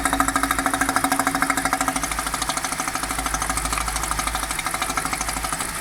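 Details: BMW 545i E60 with N62 V8 idling: fast, even ticking of about three a second, heard through the open oil filler cap; cause unknown.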